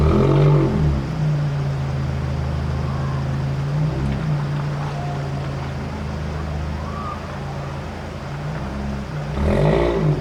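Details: Scion tC with aftermarket exhaust, before the Checkpoint Tuning intake install: deep, steady idle with a throaty exhaust note and short rev rises at the start and end; runs smoothly, nothing abnormal.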